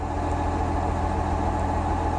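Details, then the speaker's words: Komatsu D65PXI dozer, Tier 4 with exhaust burner, almost new at about 700 hours, just started: loud, deep diesel idle with a steady low rumble and slight unevenness; starts badly and doesn't sound healthy, cause not found. "It starts kind of like shit. Yeah, I don't like how that sounds."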